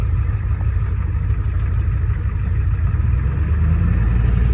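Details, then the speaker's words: 1989 Ford F-250 with air somewhere in the fuel system: deep, uneven diesel idle with a loping, stumbling beat around three per second. It runs poorly at idle and clears when throttle is given, a rough idle from air in the fuel system. "Well, yeah, I've got air in the in the system somewhere. kind of makes it run a little"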